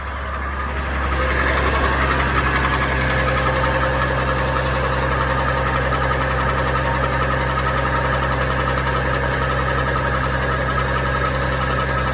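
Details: GMC Envoy 4.2L at idle: steady tapping knock about three to four per second under the engine hum, heard from underneath; engine knock, cause not pinned down.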